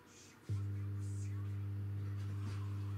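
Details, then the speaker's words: Jet Balance speaker's subwoofer at switch-on: loud, steady low buzz-hum, with supply voltage sagging and chip and heatsink running very hot; the amplifier chip is likely faulty. "динамика также раздается гул как и в начале нашего ремонта напряжение питания при включении проседает а микросхемы и радиатор очень сильно нагреваются даже когда динамик включен скорее всего наша микросхема не исправлю"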